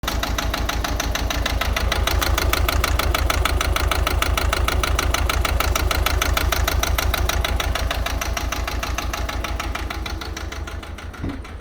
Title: bad injectors siemens volvo c30 1.6 diesel